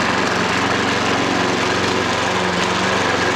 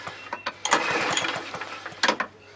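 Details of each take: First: Hayter 43 lawnmower running after hydrolock cleared, oil overfilled; steady even fast beat, no misfires or knocking until switched off; started well, barely smoked, only slight exhaust smoke. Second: Hayter 43 lawnmower engine found locked up with oil hydrolock; spark plug out, recoil pulled a few times with brake lever held up; quick uneven pulls turn freely without compression, little oil dribbles out, clearing cylinder.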